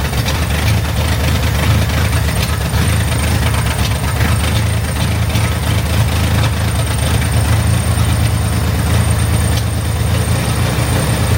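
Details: Chevrolet Corvair flat-six at idle right after a tune-up with a new ignition system and carburetors, started to check for fuel leaks: a deep, steady rumble with no misses or stumbles. It idles normally.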